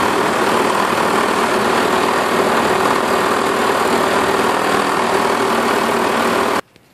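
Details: Self-propelled 550-series lawn mower with plenty of oil, blade looks straight and balanced: loud single-cylinder roar with a coarse shaking rattle, then it cuts off, excessive vibration with the cause unconfirmed (owner suspects the self-propelled drive).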